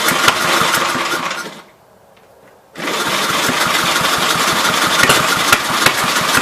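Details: 1958 Gravely LI tractor single-cylinder engine, first run after sitting years, no exhaust fitted, leaking fuel line: harsh, crackling bark with sharp popping pulses, stop, restart; running open-port, oil filter found holed.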